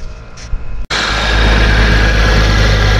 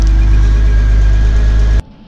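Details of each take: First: 2001 Porsche Boxster engine idling while warming up, heard at front of engine: wavering chirp-squeal rising and falling over steady idle; an accessory belt pulley bearing had failed and broke apart. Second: 2001 Porsche Boxster after replacing the noisy pulley bearing (and the radiator): steady, even idle with a low smooth hum and no squeal or chirp from the belt side; quiet and healthy.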